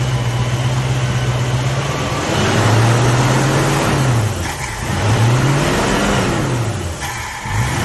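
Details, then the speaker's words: 1966 Ford Mustang 289 V8, automatic, reported running super rich: idles evenly and revs cleanly several times with no misses, knocks or hesitation; sounds normal at standstill, though a later test drive revealed problems. "so I can hear it runs on pretty good"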